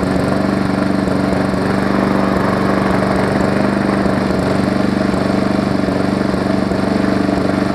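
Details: Briggs & Stratton Classic engine swapped onto a Hyper Tough deck to replace a Weed Eater 22-inch mower with a bent shaft: steady, even single-cylinder chug at fast idle with no misses or knocks; normal running, smoother than the old engine.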